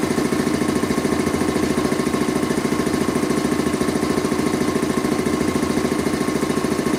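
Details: Rebuilt Quincy 325 air compressor on its first test run after head and valve rebuild, with discharge and unloader control lines hooked up, pumping up the tank: steady, evenly spaced thumping at about 3.5 beats per second, no knocks. Normal running.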